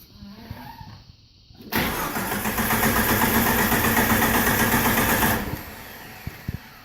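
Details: TJ 4.0 no-start: the starter spins the engine at about four turns a second for roughly three and a half seconds, then stops without firing; cranks but won't start.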